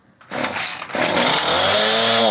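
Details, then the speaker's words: Homelite 3514C chainsaw, started on full choke and primed: two-stroke snarl surges, dips and labors instead of climbing when throttled, bogging out; lean high-speed mixture, fix is turning high screw about a quarter turn counterclockwise. "So with it bogging out like this, you're going to turn the high counterclockwise, and you're only going to go probably about a quarter turn."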